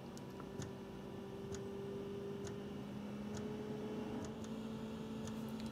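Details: Planar/Autoterm 2D diesel heater installed in a camper's underfloor box, dosing pump priming the fuel line on a repeat start: crisp, light clicks about once a second over a faint steady hum, normal pulsing.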